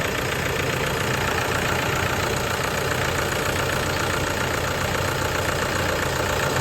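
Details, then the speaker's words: Toyota Hilux diesel idling on its first start after a full overhaul, following a sudden stall on the road and a no-start; steady, even clatter at constant speed with no heavy knock or misses; the rebuilt engine runs smoothly. "Jadi ee kemarin pada saat datang itu ya mesinnya total sama sekali enggak bisa hidup. Jadi hari ini sudah bisa hidup."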